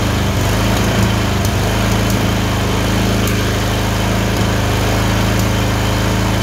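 Steady low engine drone broken by scattered sharp pops every second or so, an uneven misfire on a small twin.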